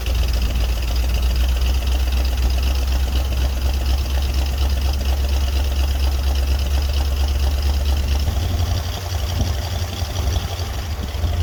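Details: 1961 Dodge C800 ramp truck, 361 Chrysler big-block, cold start: loud, deep uneven idle with a heavy clattering diesel-like beat over the low rumble; rough running, cause suspected, not confirmed.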